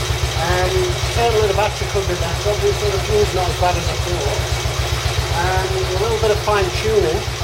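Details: Royal Enfield Bullet 350 Classic first start after partial seizure repair, cylinder hone, new rings, decoke, valve clearances set and carb cleaned; steady slow even thumping idle, no knocks or rattles, running cleanly, carb needs fine tuning.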